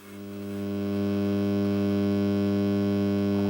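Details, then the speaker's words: Akai X7000 sampler keyboard before power supply capacitor replacement: steady low buzz of even hum tones at the line outputs, swelling as volume is raised; suspected failing power supply capacitors. Mains hum. "I'll just show you the problem because I've got my little lamp on. You'll see I'm just going to raise the volume and you'll hear like a buzzing."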